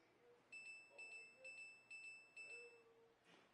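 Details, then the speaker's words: Kenmore French door refrigerator: five even high dings about half a second apart, the door-ajar alarm; the left door's flip piece was not seated in its groove, so the door was not closed properly. "Hear that ding-ding-ding? That means the door's not closed correctly."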